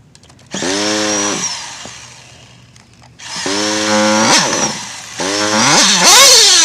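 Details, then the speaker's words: Modified Nova/Teckno NT48.3 nitro RC: sharp high-rev bursts dropping back between blips; clutch bell/pinion keeps working loose, needs threadlock. "[Music] that sounds like my clutch bells coming with almost guaranteed"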